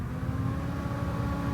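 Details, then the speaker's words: Small cooling fan on a 3D printer fed 12 volts from a 15V 1A bench power supply, cranked up: steady piercing whine over a low hum, no speed change; annoying at 12V, blends in at 10V. "I just put 12 volts to it through the power supply, and you won't believe how annoying that gets at a fan."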